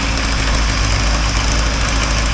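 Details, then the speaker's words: 1980 Triumph TR7 engine, first runs after rebuild and reinstall, choke needed: steady petrol idle with a fast faint puffing tick on one side; suspected exhaust leak, no knocking heard. "now it's got a you can hear an exhaust leak on this side here I have to follow up and out of it I think it's an exhaust"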